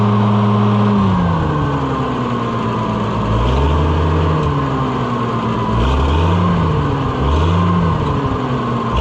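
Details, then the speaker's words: Oliver 1650/1655 tractor, six-cylinder (firing order 1-5-3-6-2-4), cold, after new Delco-style distributor swap: rough revving surges, sagging and hesitating at wide-open throttle; owner suspects it just needs warming up, says eased throttle works. "I think it needs to warm up. Cuz see it's it's stumbling a little when you jam it wide open. And that's not the distributor's fault cuz you can sneak up on it and get it to go."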